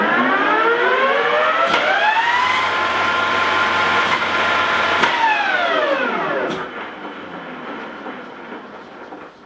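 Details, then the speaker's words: Okuma LS lathe, about 1970–75, spindle at 1800 rpm counterclockwise after swapping phases: 10 hp motor whine climbs smoothly through the soft start, holds steady, then sweeps down under the electrical brake, which slows but doesn't fully stop the heavy spindle, normal. "you can hear and see the soft start and the break it doesn't break until a stop but there's quite a lot of mass"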